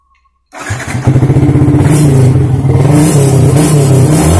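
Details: Yamaha Vixion after repair of error code 96 (a battery or wiring voltage fault), with the code now cleared: the starter catches in half a second and the engine fires straight into a steady, even idle with no stumbling, a healthy start.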